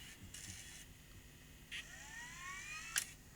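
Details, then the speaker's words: Tascam DA30 MkII DAT recorder, fast forward: thin whirring whine climbing in pitch with clicks and a sharp snap; tape transport not running right, problem in reel drive mechanism beyond belt. "Okay, so we're seeing the belt run, but was doesn't sound happy. So, there may be a problem in here that could be a bit harder to fix."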